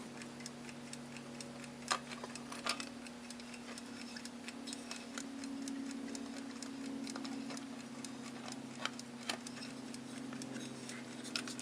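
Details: Westclox Big Ben style 5 alarm clock movement made April 1948, after a general inspection, cleaning and oiling: quiet, crisp ticks at an even beat over a faint hum with no skips or stalls; running steadily and healthily.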